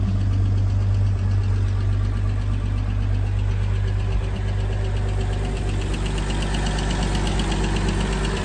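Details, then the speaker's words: 1980 RN30 Toyota Hilux 4x4 with swapped Holden 186 six, first start, cold; deep, even six-cylinder burble at steady idle, no misses or knocks, healthy. "Oh, man. That sounds sweet. I don't know if you can hear that, but that sounds lovely."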